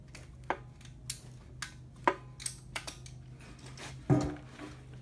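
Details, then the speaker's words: 1999 Chevy Suburban 350 5.7 L Vortec V8, 242,000–246,000 miles, run without oil and spun rod bearings; bare engine turned by hand during teardown: sharp uneven metal clunks every second or two; worn connecting rod bearing knock. "i thought i would not be able to hear the knocking knocking right there"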